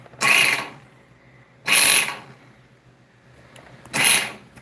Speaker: I'm gonna press the gas. Y'all ready? Ooh, that didn't sound too good.